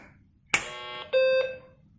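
A short chirp, then a clean steady mid-pitched beep lasting about a third of a second; normal power-on beep, machine alive.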